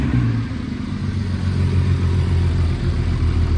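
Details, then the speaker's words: VW Passat R36, old timing chain tensioner refitted, running 6–7 minutes: deep steady idle with even low throb and no metallic rattle at startup or after, unlike before; normal idle. "been about 6 or 7 minutes there still no rattle like there was before I think sometimes you just got to leave a car alone folks"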